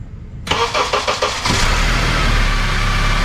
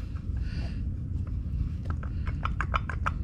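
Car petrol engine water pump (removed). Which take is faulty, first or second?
second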